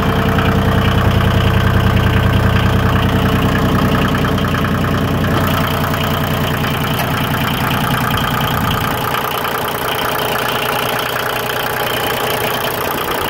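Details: Yanmar YM2310 compact diesel tractor, recently serviced with a new starter: a steady diesel clatter at about three beats a second that settles lower after a few seconds; an even, normal idle with no misses.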